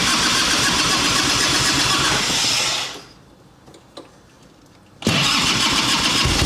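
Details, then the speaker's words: 1989 Harley Ultra Classic Tour Glide Evo, butterfly carb, on choke (full choke revs to about 4000 rpm); races at high busy idle, drops out two seconds, catches again; dead accelerator pump, needs carb clean. "Takes throttle really well with the choke on, but it's accelerator pump's not working and it's dead in the interim. So, this just needs a quick carb clean."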